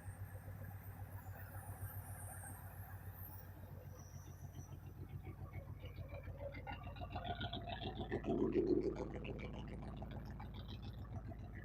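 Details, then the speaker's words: 1969 Lincoln Continental V8 sitting about 50 years, running after fuel bowls filled and a jumper wire hooked up: even, steady low rumble, about three and a half firing beats a second, no knocks or misses; smooth healthy idle. "You got it. Smooth. Smooth. Yeah, buddy. I can call that a win."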